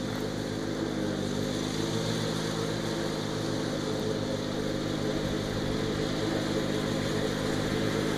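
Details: Garden tractor, restored 50-inch mower deck just reinstalled, first test cut: steady, even engine drone with blades spinning smoothly, no knocks, rattles or grinding; deck runs healthy, quieter than the GT52xlsi deck, one driver-side blade sits slightly low.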